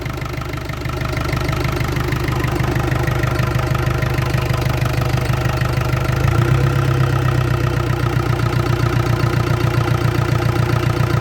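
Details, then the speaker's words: Land Rover Discovery 300Tdi diesel, first run after a donor engine swap with a mechanical injection pump, new timing belt, alternator, turbo and valve clearances set, intercooler pipe still off. Steady, even idle clatter with a firm low thrum, no knocks or misses. Healthy idle. "I'm happy to put that into cooler pipe back on now oh I'm really pleased with that that sounds good really really good I'm so pleased it's fired up"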